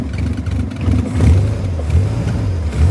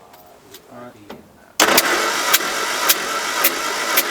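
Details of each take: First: 1979 MG Midget 1500 restarted after head gasket replacement, possibly too much choke: deep even note swelling with throttle blips and settling without misses; runs smoothly though smoking and stalling. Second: 1979 MG Midget 1500 during head gasket job, throttle down: starter cranks steadily at about four beats per second without firing; engine turns over but doesn't catch.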